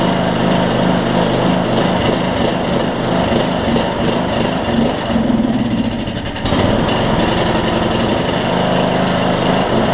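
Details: Troy-Bilt Bronco, Briggs & Stratton 18hp Intek single with Chinese Nikki-copy carb, cold start at no load: note sags and picks up around every six seconds, hunting idle; lean low-speed jet suspected, drilling planned.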